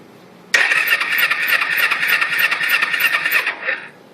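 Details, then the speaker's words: 2004 Kawasaki Ninja 250 with no spark despite replaced ignition box, plugs grounded to head: starter spins about three turns a second for three seconds, never fires; cranks without starting. "nothing why ain't this stupid bike sparking y'all help me out"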